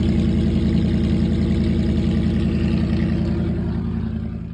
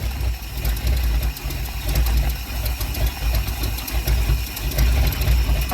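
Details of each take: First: Classic carbureted V8 after the exhaust leak was fixed and the exhaust secured, carb cleaned, float level adjusted and new starter fitted: deep steady idle with an even low burble, no puffing or ticking, so the exhaust sounds sealed. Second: Ford Sunliner after new starter and carb cleaning, fresh start: uneven idle with sharp puffing tick over the low rumble, louder near the front pipe; really bad exhaust leak, black soot.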